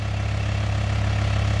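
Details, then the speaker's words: Freshly repaired VW T5 Transporter diesel after unit-injector work (clearance set, seals replaced), running after an instant start: steady low drone with even beat, no knocks or misfires, no idle smoke, slight black smoke on revving — normal running. "Ну вот работа двигателя такая движок не трясётся стоит ровненько и сейчас посмотрим Дымок"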